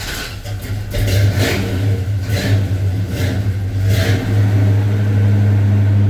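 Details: 1984 Chevy C10 cold start after sitting a week or more, pedal pumped once or twice, with a 4.3 starter; catches fast after a short crank and settles into a steady deep V8 rumble rising evenly with throttle, a healthy start.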